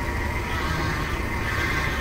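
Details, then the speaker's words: Vintage RV with Chevy Hydroboost, after fabricating a new power steering hard line that had a pinhole leak: thin steady whine near 2 kHz over pump rumble while braking; air in the system, owner plans to bleed it. "very similar for that scene same sound whether it's the brakes or it's the uh power steering"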